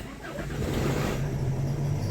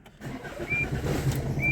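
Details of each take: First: 2006 Tata Indigo diesel started via newly fitted keyless start-stop button (car described as slow to start): engine catches and settles into an even, steady low hum, no knocks or misses; clean start, healthy idle. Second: 2006 Tata Indigo, started on the original key before a keyless start-stop install: a short churning crank, then it catches and settles into a rough low idle; the car is known to be slow to start, cause not evident.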